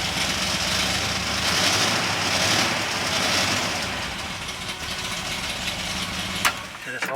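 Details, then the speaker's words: 1978 Chevy 305 small block after fresh blueprinted oil pump, pre-filled K&N filter and new pan gasket: catches and settles into a steady, fairly even idle without knocking or rattling, no leaks. "okay well I'm happy just did idle that's not bad"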